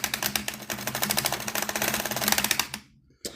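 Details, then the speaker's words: Mantua 4-6-2 Pennsylvania steam locomotive model after oiling the motor bearing: fast dry clatter, about fifteen ticks a second, rough and uneven until stopping; loose drive line letting the gears chatter, possibly damaged in shipping though sold as running fine. "That is a terrible, terrible, terrible sign. And from what I had been told on eBay, this may be a bad deal."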